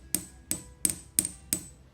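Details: Ingersoll Rand 2925P3TI 1" impact wrench, hammer tap test with a pin during teardown: five sharp taps about a third of a second apart, each with a short ring that dies quickly; a clear bell sound means no cracks, and a dull ring can point to a crack.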